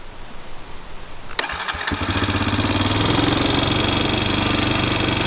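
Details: Honda Recon ATV being reassembled after seal work, no leaks overnight: cranks briefly, catches and settles into an even single-cylinder putter about four beats a second; normal start and idle.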